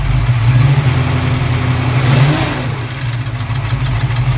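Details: Cold-start knock on the passenger side of a recently rebuilt 331 V8: rough, uneven rapid clatter over the rumble, rising with a blip. It fades at operating temperature, then gives way to a rear belt-like squeal and rapping under medium load. Good power and oil pressure; valve clatter or piston slap suspected.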